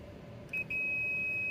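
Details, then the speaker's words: Bio-Rad C1000 thermal cycler main PCB, power supply repair, unit did not power on: short blip then steady high multimeter continuity tone about a second, fuse good; bridge rectifier then found shorted on DC side. "that fuse is good all right let's check the bridge rectifier this should be okay oh uhoh so it is short on the DC side"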